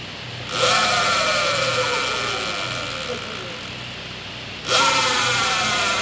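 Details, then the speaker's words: Sur-Ron electric bike with modified regreasable stock jackshaft, just regreased after neglect made bearings noisy: motor whine climbs on throttle and winds down smoothly, no grinding or rattle; bearings now quiet. "here's what it sounds like now in comparison to what it was just before we greased"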